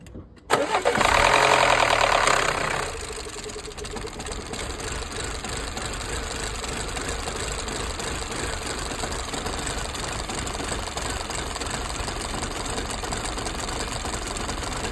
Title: What could be the issue misfiring Audi A5 1.8 petrol P001600 code? #Audi #mechanic #misfiring